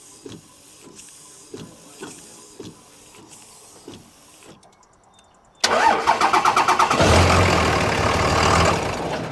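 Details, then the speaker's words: Dodge diesel truck with both battery cables disconnected, cranked only by a 4500 peak amp jump starter box: slow even cranking about three beats a second, then catches at once into a strong steady clatter; normal crank and start. "you go that's pretty sweet that's a lot of power both of these batteries I mean that's 1500 amps"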